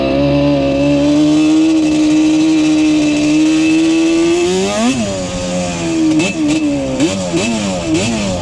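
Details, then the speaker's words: Yamaha Banshee two-stroke ATV with Alpha Cup 350 kit after fixing its bog, warmed up, no choke; high buzzy drone then crisp blips climbing and dropping without hesitation, far more responsive, no bog. "Did a lot of off-camera testing. You see, it's a lot more responsive now. Yeah, you can already tell the difference."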